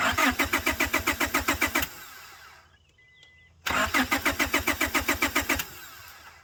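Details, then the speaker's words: 1999 Honda Accord crank-no-start, spark and air confirmed, about 55 PSI at injectors: two bursts of steady cranking, engine never catches; cause found to be a weak fuel pump. "So this whole time, all this had happened, man, I had a weak fuel pump."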